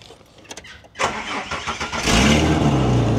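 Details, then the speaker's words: Ford wagon bought from a scrap yard, starting and idling: raspy puffing idle with a sharp chuff from an exhaust leak located at the front, where someone had previously patched it with muffler putty. "so it sounds like it's definitely at the front here somewhere"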